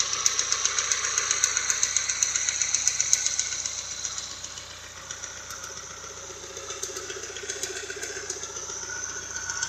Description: Don't know what noise is making the ticking...